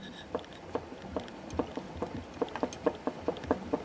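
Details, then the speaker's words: 2006 LG WM14225FD front-loader washing machine, 11 years old, stopped after a 1400 rpm spin: dull, irregular knocks as the drum is rocked by hand, from play in the worn rear drum bearing, not the spring. "can hear that knocking although what that is that's actually playing the rear bearing that's not the spring that's actually the slight movement in that rear bearing there shouldn't be any movement at all"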